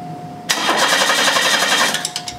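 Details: 1991 Chevy Cavalier 3.1L with good spark but noid light not flashing while cranking: starter spins the engine steadily about one and a half seconds but it never fires; no injector pulse, suspected shorted injector on the group-fired system.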